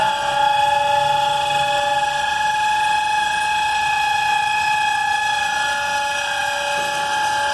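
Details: Freight cars being pulled after the October 2019 Flint Hills grain derailment, Abilene, Kansas: locked-up brakes give a piercing, steady high-pitched squeal at one pitch as the cars are dragged.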